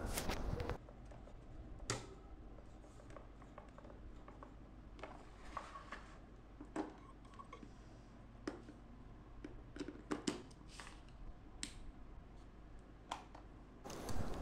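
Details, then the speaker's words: Standing fan that was slow or failed to start spinning, after replacing its capacitor: quiet steady low hum with no rattle or labouring, a few handling clicks; fan runs normally, repair successful. "Okey, alhamdulillah berjaya projek kali ini berjaya, alhamdulillah."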